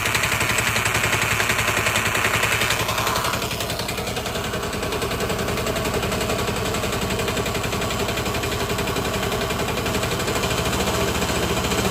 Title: vespa lt 125 started making a rattling noise after sitting for a few months.